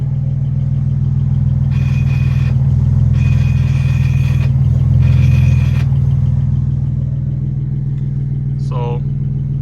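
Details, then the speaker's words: BMW 335i N54 with newly installed Motiv twin-disc clutch, about 30 miles on it, idling with pedal pressed: steady hum with light even chatter about four times a second; normal before break-in, expected to quiet down. "once the clutch is broken in that sound gets a lot quieter and i'm gonna say the clutch is pretty aggressive"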